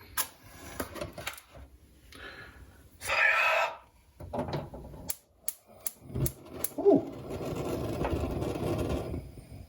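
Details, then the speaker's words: Stove igniter clicks with sharp, uneven ticks but never lights the gas; a match flares and the burner catches. "Now, in theory, this stove does have a whole sparky thing which should light it by itself. In practice, no, it does not. You will hear it sparking, but the effects of it will not be apparent."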